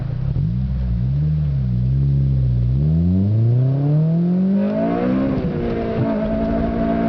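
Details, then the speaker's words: 2007 Honda Civic Si, stock ECU tune, Password JDM carbon fiber powerchamber intake, fully warmed up, hard acceleration: note climbs smoothly then turns sharper and louder near the top at aggressive VTEC crossover; healthy pull. "I'm gonna smash some gears out right here. Hopefully you can get a good indication of what it sounds like. VTEC crossover is pretty aggressive, so here it goes."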